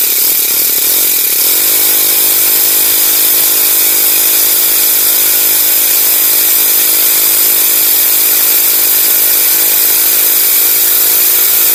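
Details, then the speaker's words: Honda GX35 grass cutter engine after carburetor cleaning, revving up and settling into a steady, even high buzz with no surging or dropouts; previously stalled even at full throttle, now runs cleanly. "hindi na siya kinakapos guys h na siya kinakapos lilinisan lang natin yung karburador niya"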